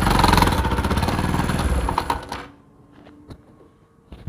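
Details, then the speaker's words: Bajaj Pulsar NS 200 with a carburetor fitted 2 days earlier that overflows fuel: heavy, lumpy "ghot-ghot" engine knocking at about four beats a second over a rough idle before it cuts out, serious internal knock; riding feels like a shallow pump engine. "আশা করি বুঝতে পারছেন, মানে engine RPM ঘট ঘট ঘট ঘট ঘট ঘট সাউন্ড করতেছে, আর বাইক চালালে তো মনে হয় যে শ্যালো মেশিন চালাচ্ছি, এই অবস্থা।"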